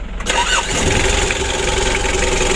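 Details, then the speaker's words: Mitsubishi L300 diesel (2017) after engine rebuild: all four nozzles, filters and air filter replaced, Bosch pump serviced with 12 mm rotor head and timed; cold start without warm-up, catches after brief crank and settles into steady, even idle: normal cold start. "hidupnya langsung nyes teman-teman pagi hari pun gitu juga ya tanpa dipanasi langsung nyes"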